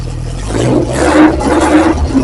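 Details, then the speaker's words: 1988 Lotus Esprit with refreshed, rebuilt engine, cold start with no silencer, exhaust only through a downpipe: loud, raw exhaust roar settling into a fast, fairly even cold high idle with no knocks or misfires; normal. "She is cold, cold, cold. And uh I imagine it's going to idle high to begin with, but uh let's let's turn the key and uh hear some thunder."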